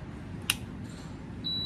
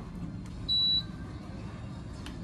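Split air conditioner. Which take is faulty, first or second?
first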